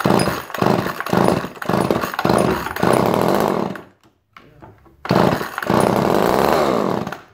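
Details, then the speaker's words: Two-stroke chainsaw revving in uneven bursts, dropping out briefly near four seconds, then picking back up and running, after the side cover was removed and the plug burned. The owner judges it a healthy motor. "That sounded like a pretty healthy motor to me. And that was all the work I did to it, you guys."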